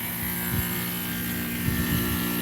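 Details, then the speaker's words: Goodman outdoor AC unit with noise blanket, compressor running at about 200/75 pressures, 13 degrees subcooling: low even hum with soft fan whoosh, no rattles; compressor much quieter than normal, healthy. "You know what? That compressor's way the frick quieter than normal."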